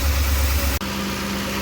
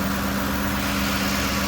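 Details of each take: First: 2007 Lincoln Navigator 5.4 V8 idling very rough with P0022 code, eventually dying; heavy uneven low rumble before solenoid replacement; cam position sensors already replaced helped slightly; replacing both VVT solenoids fixed it, now runs smooth. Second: 2007 Lincoln Navigator 5.4 V8 after repair for rough idle with P0022 code: camshaft position sensor and both VVT solenoids replaced (valve cover gasket too). It now idles smoothly and evenly, with a steady low hum and no misses or stumbles.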